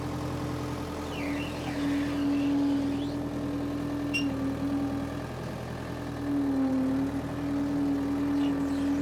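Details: Power Trac 1850 diesel tractor after fluid changes, mower attached: steady even diesel drone with constant mower hum rising and settling smoothly under load, running cleanly; normal running under load.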